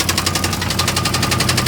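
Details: 1989 Chevy Caprice Classic engine right after start-up: sharp even knock about nine times a second over the idle, occurring every start; source and cause undetermined.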